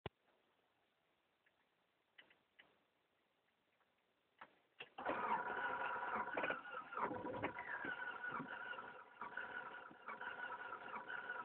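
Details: 1996 Honda Accord that stalled and died: no-start with faint rapid regular clicking about four per second, engine not turning.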